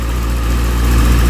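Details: Motorcycle idling after replacement of a failed, melted cheap rectifier behind a burnt connector; charging confirmed, wires staying cool. Steady, even single-cylinder putter with no misses, knocks or rattles; clean, smooth normal idle.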